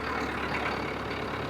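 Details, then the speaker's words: Diesel truck whose idle had been raised to 1100 rpm by a connector fitted because of an engine valve fault: after the connector is removed the idle slows to its correct rpm and gets quieter, a settled, steady low rumble with no hunting or knocking. "आवाज sound कम हो गई है। RPM actual में जो होने चाहिए वो हो चुके हैं।"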